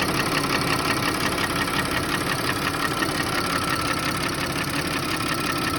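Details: Audi A6 C6 2.8 FSI V6, a month after an oil change, check engine light on: evenly spaced knocking at idle, cold and hot, disappearing with slightly raised rpm; engine knock at idle, cause unknown.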